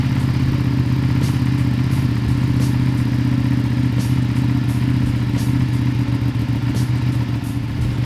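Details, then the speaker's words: Ducati 959 Panigale idling at startup right after installing Ducabike clear clutch cover and new pressure plate: steady even low loping idle, no knocks or rattles; normal. "So I'm gonna go ahead and start it up and let's see what we got."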